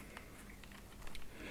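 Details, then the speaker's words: Nintendo 2DS after the side-creak housing fix, squeezed: soft plastic clicks and taps with no housing creak, only slight rattle from the door and the stylus. "So we've got it all back together, and is there any creaking anymore? Like hell is there? Oh yeah. Obviously got a bit of rattling from the door and from the stylus being in there, but as for anything else, job's a good one."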